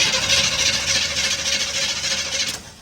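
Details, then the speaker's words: 1959 Chevy truck cranking on starter button, key on: steady starter whir, engine turns over but never catches; spark tester shows no spark from coil/distributor, old distributor parts. "So, that's your problem right there. something here in the distributor. Um, the coil, the the magnetic pickup, the wiring here somewhere here is not letting fire go to your spark plugs."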